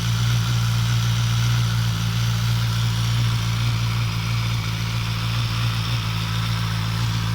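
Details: Suzuki GSX-S1000 cold start-up: four-cylinder engine idles steadily with a light metallic rattle over its low hum, strange noise on cold engine.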